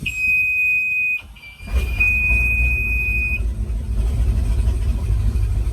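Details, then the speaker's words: Bayliner 2855 Ciera big-block boat engine after fitting a rebuilt outdrive, where the dash buzzer warns of low outdrive fluid: a steady beep sounds for about a second at key-on and stops once the engine idles. This is a normal brief startup buzzer with no continuing warning. "buzz for a second mm-hmm power down engines that's awesome"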